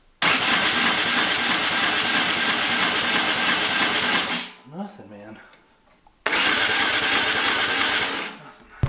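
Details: Turbocharged EFI lawn mower engine with newly wired trigger wheel and a new, longer crank sensor, gap possibly too far: two bursts of steady starter cranking at about three turns a second with no catch or firing; cranks, no start.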